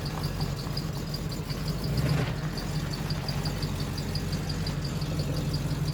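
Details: 1986 Chevy K5 Blazer V8, new long block after a blown head gasket, freshly started with timing set: even, steady idle with only a light quick valve tick in the background; smooth and healthy.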